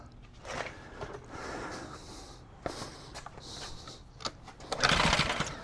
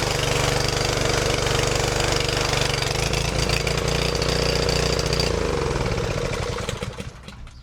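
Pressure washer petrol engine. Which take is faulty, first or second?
first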